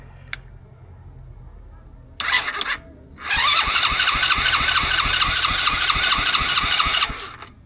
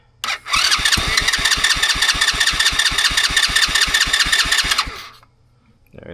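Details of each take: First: Cheap ATV with a newly installed wire harness and new chain, started with starter fluid, key on and brake held: short crank bursts, then the engine catches and runs a few seconds with a quick, even beat, a clean start. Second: $40 used ATV, after installing a new wiring harness and grounding a previously forgotten ground wire; starter fluid sprayed in, steady cranking for four seconds, engine almost catches but never runs on.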